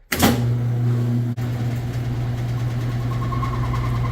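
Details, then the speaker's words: Older Whirlpool/Kenmore-style top-load washer in spin: loud drone with occasional squeaks followed by clicks as the tub rubs its stand; causes are a failing pump or bad/missing tub wear pads: tub rubbing from missing wear pad. "you can kind of hear a squeaking or occasional squeaking followed by a clicking noise so overall machine is uh really loud and uh making this weird noise"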